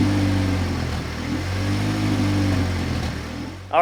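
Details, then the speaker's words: 1988 Honda CRX Si with swapped-in B18C Type R engine, first start, exhaust not hooked up: uneven, stumbling beat as it revs and drops, sounding like knocking; actually a misfire, dash code 16 pointing to an injector test failure. "You probably heard that misfire that was going on. It really sounded like a knocking situation. It was exaggerated because the exhaust isn't hooked up, but it ended up being a misfire."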